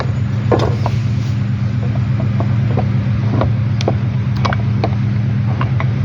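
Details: Toyota Estima engine running with steady low drone and irregular sharp knocks about three per second; points to worn balancer gears.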